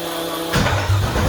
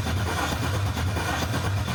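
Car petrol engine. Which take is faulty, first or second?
second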